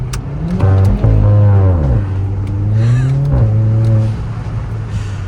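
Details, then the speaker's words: Kia Forte GT (Cerato/K3) in sport mode, artificial engine-sound speaker disabled; RaceChip S, BPV delete, MBRP axle-back, aFe Stage 2 intake. Deep exhaust rises and falls through blips, clean with no synthetic tone; normal exhaust note revving. "all right guys as you can hear we are in sport mode and zero artificial sound that is straight up coming from the beautiful beautiful"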